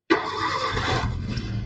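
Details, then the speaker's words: 2013 Maruti Suzuki Swift VXi petrol with check engine light on, poor pickup and a cylinder 2 misfire; the engine catches and settles into a rough, uneven idle with one cylinder dead from a failed ignition coil. "So the sound is missing in the car and the check engine light is on."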